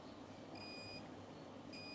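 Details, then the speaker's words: Edifier multimedia speaker under repair: the multimeter in continuity mode, probes across a capacitor on the board, gives short high steady beeps in two bursts over room hiss. Beeping in both probe directions indicates a short. "ටික් කියලා සද්දයක් ආවා. Beep ගාලා continue beep එකක් ආවොත් probe දෙක මාරු කරලා බලන්න. එතකොට දෙපැත්තටම ආවොත් අනිවාර්යෙන් මේක ෂෝට් එකක් කියලා තමයි අපි කියන්නේ."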